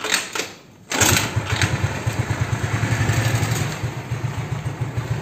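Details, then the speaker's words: Honda Beat carburetor scooter after replacing worn, loose (side-to-side play) valve rocker arms and pins, original rocker shaft kept: fires up first try, settles into even putter with no top-end ticking; valvetrain quiet and healthy. "Jadi udah oblak geser kanan kiri kanan kiri gitu udah seneng banget deh nggak bunyi berisik lagi di atas"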